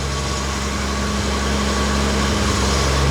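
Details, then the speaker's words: BMW E30 at warm operating temperature with fans on, idling: steady idle with thin tinny ring about four pings a second; owner suspects the intake, not confirmed. "so that's good i just i cannot believe how crappy it sounds to the engine bay because of this i really think it's just the intake"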